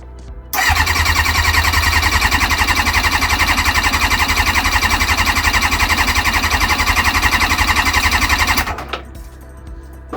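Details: Kawasaki ZX-6R after 10 years sitting, with carbs freshly cleaned, float bowls filling, choke on and oil topped up. The starter cranks steadily at about four beats a second for eight seconds and never fires. No fuel is found in the fuel filter afterwards.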